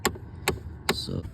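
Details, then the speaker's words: 2010 Chevy Impala, key on: sharp evenly spaced clicks about twice a second from behind the dash. A binding temperature/blend door actuator, felt by hand, leaves it blowing cold on the passenger side and warm on the driver's side. "Turn the key on and you can hear one of those actuators is binding."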